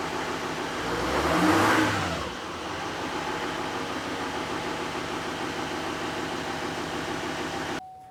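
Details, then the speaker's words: GMC Duramax 2500 diesel, cold start in stock form with the stock exhaust, before the tune and the 5-inch straight-pipe exhaust: catches, flares up over a couple of revs, then settles into a steady, even clatter at idle with no odd knocks. "we're going to give it a cold start and go to give it a couple of revs so start the truck up so we can hear the sound"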